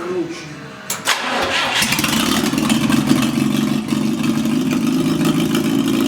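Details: GAZ-69 first drive after rebuilt engine, gearbox and transfer case: cranks briefly, catches near one second, settles into steady even idle with no knocks or misses; healthy start.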